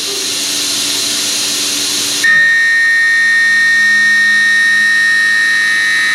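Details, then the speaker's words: High-feed end mill on a long extension taking 0.050-inch-deep pocket cuts with a large stepover: hissy cut turns into a steady piercing squeal with ringing tones, provoked on purpose; vibration-induced end mill chatter and squeal. "I'm doing this on purpose for roughing pass you're going to get some squealing sometimes but remember squealing means vibration and not only is that going to give you a much rougher finish it's also going to make it harder to hold tolerances"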